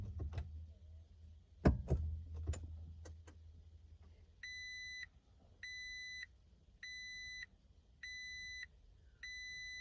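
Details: 2019 Toyota Tacoma TRD Pro with a Brake Override Malfunction error, start button held for 20 seconds; after door and handling clatter a high warning chime beeps five times about every 1.4 seconds, cause suspected but not confirmed.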